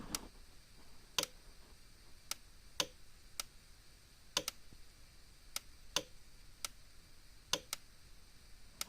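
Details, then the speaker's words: Cyclops Master fence charger and a Zareba 50-mile unit clicking together, each pulsing roughly every second and a half, the Cyclops slightly slower, perhaps 0.2–0.3 seconds; both firing normally. "the the some uses flash a little click along a little faster this one's just a little bit slower not by a lot like 0.2 seconds 0.3 seconds slower maybe"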